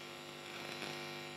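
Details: Marantz 7 clone tube preamp with inputs shorted to ground and only the preamp board in circuit: constant low buzz with a bright edge, picked up from the nearby power transformer; mains hum.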